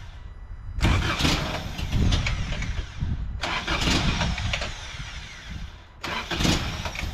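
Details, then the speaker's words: 1988 first-gen Toyota 4Runner, cold: three start attempts, each catching briefly then stumbling and fading, never settling into idle. Hard cold start; owner suspects the cold start injector, and says it runs okay once started. "I think there's something wrong with the cold start injector. Seems like a good place to start. Doesn't like to start up cold, but once you do get her started, she runs okay."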